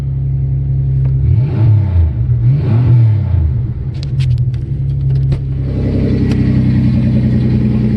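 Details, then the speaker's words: 1989 Chevy Cavalier after new fuel pump: engine catches, settles into a steady idle, revs rise and fall cleanly with throttle, no knocks or misses; runs healthy. "and there she is she's alive yeah"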